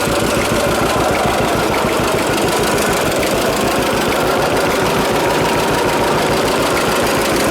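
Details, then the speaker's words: John Deere AR tractor, rain-soaked, clutch being adjusted: rapid steady chuffing with a slightly uneven knocking beat at low idle; owner says it ran then hit compression and blew bubbly, suspects too much oil, unconfirmed. "I would not kind of ran and then it hit that compression and then it kind of blew kind of all bubble I think there's too much oil in that thing maybe I don't know"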